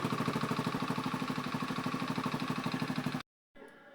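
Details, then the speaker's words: Honda Beat FI scooter after fuel pump replacement, pressure 40 psi: even, fast, steady putter at idle with no misses; previous hesitation on throttle gone, now running normally. "ternyata sudah normal ya teman-teman"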